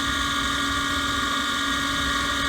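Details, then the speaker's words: Gas furnace during heat cycle: constant high-pitched scream with several steady tones over a low hum, unchanging; worn draft inducer motor bearings. "listening to that motor screen i hate to shut them down but uh need to get it fixed"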